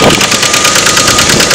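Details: Red truck first started after long non-running at a grandmother's house, idling: sharp, even ticking taps about six a second. Loud knock of unknown origin; the truck is also slow to move and won't go into park.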